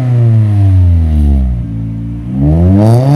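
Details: Mini Cooper Convertible with an aftermarket sports exhaust, after a fix for the noise from the exhaust pipe, heard from outside: a smooth note falls as revs drop, then climbs again with no knocking or rattling. The exhaust is healthy.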